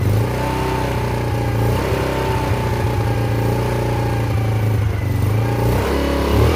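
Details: Yamasaki YM50 two-stroke scooter, in neutral with choke off, battery connected and fuel replaced, on its first start after carburetor cleaning: it catches and buzzes steadily, revs rising and falling smoothly without stumbling. Healthy running.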